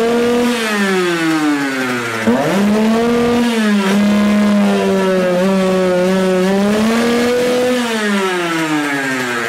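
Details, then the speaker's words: Rieju MRT moped, AM6 two-stroke after owner's full rebuild, air filter removed, revved high: revs climb, then sag and hunt instead of holding; unrestricted intake air bounces off reed valve, engine bogs. "Kiedy wyjąłem ten filtr powietrza silnik się wkręcił na obroty a potem spadł bo pęd tego powietrza spowodował to że zaczęło się odbijać od zaworu membranowego"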